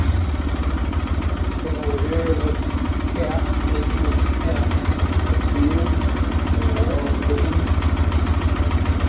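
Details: 2022 Lifan KPR200 after cold-engine valve clearance adjustment (intake 0.08 mm, exhaust 0.12 mm), started to check for leaks: steady, even single-cylinder putter at idle with no ticking or misses; valve train quiet, normal idle.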